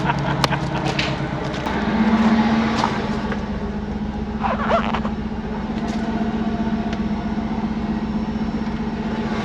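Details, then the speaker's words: 1994 Pontiac Trans Am GT after sitting 17 years, new injector fitted: steady low drone with coarse blatting through revs, exhaust noisy and blowing heavily, possibly fire in exhaust; oil pressure good, temperature reached 110; loud exhaust. "got a noisy [ __ ] [Music] it's blowing so much out of it oh it's on fire in the exhaust i think"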